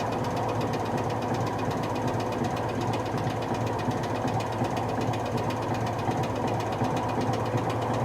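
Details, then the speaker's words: Whirlpool SCW1112 washer spinning at 500 rpm or more with a heavy load, before repair, belt slipping: rapid rattling clatter and banging over a steady low hum from very bad drum bearings. "once it gets to like 500 rpm or more you'll hear it clattering and that's when the berries get really bad now they're starting to bang"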